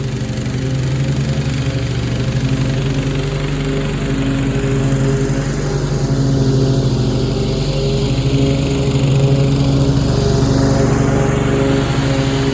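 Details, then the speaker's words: 1997 Craftsman lawn tractor with 16 hp Kohler Command single-cylinder engine, mowing: strong, steady drone that holds speed with the blades cutting and pulls effortlessly without bogging; a healthy engine under load. "oh yeah that thing is a beast and you know for 16 horsepower for 16 horsepower that that mode that like effortlessly"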